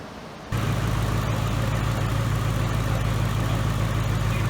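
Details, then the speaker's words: 2018 Mustang GT with new engine, large Mishimoto radiator, after about ten minutes running, fully warm: deep steady idle with even low beat, no knocks or ticks; healthy, sounds unlike the stock engine. "guys the engines been running here for about ten minutes she's all warmed up and I have to say she's it sounds amazing it does not sound like the stock engine"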